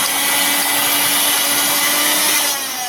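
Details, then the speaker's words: Mixer grinder after repair of a faulty switch that made it run intermittently: steady high-pitched motor whine, even with no dropouts, easing slightly near the end; the problem is fixed. "तो आप देख सकते हैं ये यहाँ पे भी काम कर रहा है और यहाँ पे भी बिल्कुल हमारा काम कर रहा है, यानी इसका जो प्रॉब्लम था ये बिल्कुल दूर हो चुका है।"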